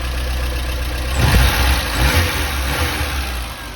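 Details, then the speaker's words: Warm Porsche 924 idling after ignition timing set to 20° BTDC, while being checked for a hot-start problem: steady low beat with one brief throttle blip, then even again; normal healthy idle. "okay he's running great this is where i need it to be"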